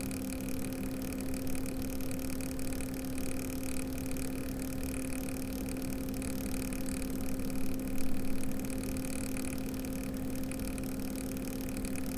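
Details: Cooler Master ML240L RGB AIO cooler after weeks of use, CPU fan at full speed, idle temps risen from 35 to 50°C: steady low hum over fan rush; owner suspects failing pump or air lock.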